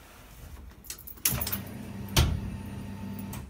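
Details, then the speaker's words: 1970 Chevy Nova with GM Performance LS3, first start-up: key click then a faint low hum for about two seconds that stops; normal fuel pump priming, 22 percent fuel, 12 volts. "fuel pump just primed we've got 22 percent fuel 12 volts"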